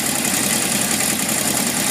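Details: 1978 Honda CB750F: a loose metallic rattle from the bottom end over a steady idle, after metal shavings in the oil pan and low oil pressure at warm idle led to the engine shutting off; owner suspects crankshaft bearings.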